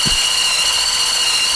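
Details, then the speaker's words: Homemade wooden bandsaw built from stacked, glued 1x4 pine, cutting 8-inch-thick maple; the cheapest blade, bent after wood jammed into it and straightened, runs rough with a steady high-pitched whine and sharp tones: bent bandsaw blade noise. "now the blade makes quite a bit of noise it was the cheapest blade I could buy to test this thing out wasn't a good blade to start with"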